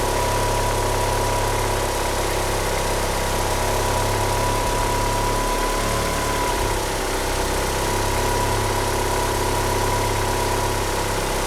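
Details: Petrol car with 850cc injectors that won't rev up: lumpy, wavering rough idle with a steady high whine over it, possibly from a slipping steering pump belt.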